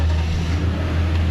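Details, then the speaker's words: Lexus with coil codes and permanent codes that won't clear, started after a part was switched; customer says it always runs great; deep even engine note with no misses, stumbles or ticks over wind rumble, running smoothly. "and runs great so I asked the customer does it ever run bad for you he said no it always runs great"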